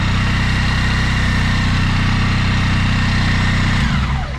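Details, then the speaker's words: Suzuki Burgman 650 scooter, high real mileage, after replacing timing chain and tensioner: steady, even twin-cylinder idle with a smooth low throb and no extra rumbles or rattles before it winds down; sounds healthy. "So we continue we replaced the timing chain, the tensioner, we start and listen like this, 650k should work without any extra rumbles"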